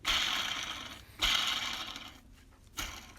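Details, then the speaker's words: 2000 Ford Falcon AU, belt removed: hand-spun idler and tensioner pulleys give gritty, raspy whirrs from worn bearings; both replaced with new belt, water pump, thermostat and hoses. "So that's the idler. You can hear it. It's very noisy. And also the tensioner. Yeah, you can hear that, how noisy that is."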